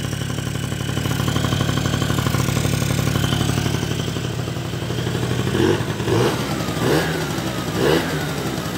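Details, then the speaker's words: Old Japanese two-stroke scooter on fresh V-Power fuel, after a small idle screw adjustment on the carburetor: steady, even idle burble with crisp throttle blips dropping straight back; normal idle. "how easy did that start I'm not even kidding you she ticks over just a little adjustment on that screw on the odle"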